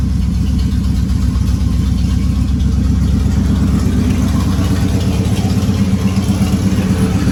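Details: Third-gen Trans Am after a header install, running on the open Y pipe with bolts tightened: a loud, choppy V8 idle with a steady lumpy beat and no ticking from the header joints. Normal idle on open exhaust.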